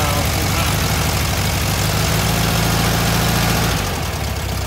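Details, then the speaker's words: Warm VW Thing air-cooled four-cylinder after dwell and distributor timing were set: a fast, steady idle well above where it should sit. The throttle cable is pulled too tight, propping the throttle open; it is disconnected. "yeah sound pretty good here yeah the idle is really high right"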